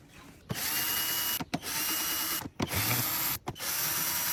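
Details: Yamaha R1: four separate second-long bursts of high-pitched starter whirring, engine never catches; cranks but won't start.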